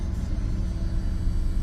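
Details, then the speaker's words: Auction-bought farm truck, bought sight unseen, idling just after its first start: deep, steady rumble with an even firing beat and no knocks or ticks; clean, healthy idle. "So far so good."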